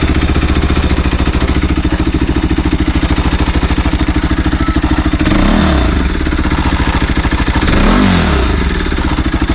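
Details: Bajaj NS200 motorcycle at 12,000 km: steady rapid clatter rides over the idle and stays through two short revs, ticking faster with engine speed; abnormal engine clatter, cause not pinned down.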